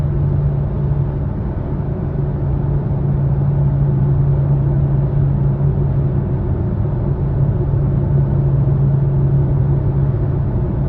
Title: 2020 Subaru Ascent low humming noise